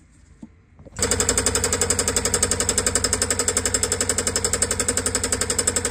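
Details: Old sailboat marine diesel: starts and runs with a loud, hard clatter, about four knocks a second, rough running; cause not yet found.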